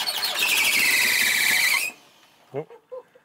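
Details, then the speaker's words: 1980s MG/Austin Rover turbo barn-find car, first start attempts after long storage; loud high screech holds about two seconds while turning over then cuts off, belt slipping on a seized power steering pulley. "again y that squeak is that a belt sounds like theate belt oh TR yeah wonder if it's seized something's squealing so something's slipping"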